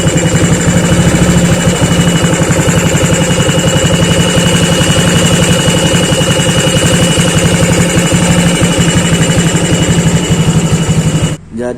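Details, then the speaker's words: Water pump area at a steady fast idle: a thin, constant high-pitched whine over the engine, caused by a damaged water pump seal, from a wrong seal installation, whose friction wore away the fan/impeller. "seperti video di awal itu adalah kerusakan di bagian seal water pumpnya sama di bagian kipasnya."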